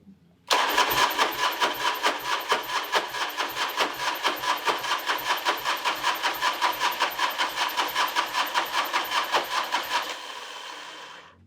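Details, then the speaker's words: Harley big wheel bagger on its first start attempt after an engine rebuild, with rough rhythmic cranking about 2.5 beats per second that never catches; owner suspects water-damaged starter and notes a damaged crank sensor; no oil pressure yet. "Dude, I think this thing was like in some water or something. I think that's why the starter sounds like crap."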